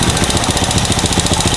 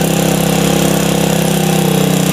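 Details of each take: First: Honda Supra motorcycle, new carburetor, owner complains of fouling plugs: quick even putter at steady idle with air screw at 1.5 turns, the normal setting, no misses or hunting; normal idle. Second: Supra motorcycle with a new carburetor that fouls spark plugs: a steady single-cylinder idle keeps running with the air screw closed, where a healthy engine would stall; suggests a leaking valve, found without engine teardown.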